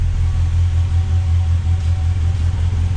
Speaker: It's running a little bit rich, but then we've got a manual choke, so that's easily controlled.